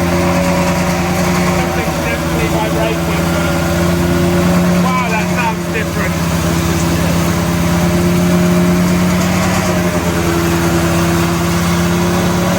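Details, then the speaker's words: BMW M3 with V10 swap, 10-into-1 headers and custom 5-exit exhaust: steady, fast, hard-edged idle near 2,200 rpm with buzzing drone and vibration rattle. High idle is suspected to be idle not yet set up; rattle suspected at crossmember. "it was idling at 2,200 RPM for some reason which might just be because we haven't got the idle setup"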